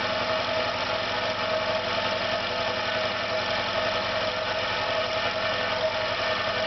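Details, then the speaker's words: Air compressor on its second start, motor suspected damaged with burnt plastic smell, parts running hot: steady loud drone with faint uneven beat and slight ringing, vibrating and labouring, pressure stops rising; rough running. "You can hear again it's not sounding round. Begins to vibrate a little bit."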